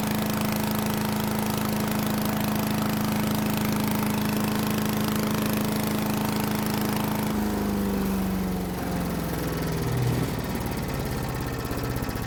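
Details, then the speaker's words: Troy-Bilt chipper shredder 24A-414B711, direct drive, test run after a carburetor fuel-line fitting, oil change and recoil oiling: a steady, even buzz, then loose clanks as the centrifugal blades settle at idle, which is normal. "all right nolleke sounds good that clanging has idles down it's the type of shredding blade it uses"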